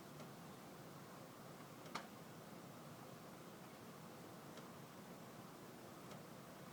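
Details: Heating ducts with moving air: sharp isolated pops and ticks every couple of seconds over steady hiss, interval between louder pops lengthening by about 1-2 seconds each time; duct expansion suspected but unconfirmed, cause unknown.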